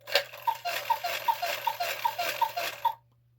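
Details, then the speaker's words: 1950s Gebr. Kuner cuckoo clock with a modified Regula 1 movement and a couple that spins while cuckooing: crisp regular paired clicks, two to three a second, as the figures rotate. The figure is not hitting the post; the cause is unknown. "You hear that noise? It's not her. She's not hitting this post."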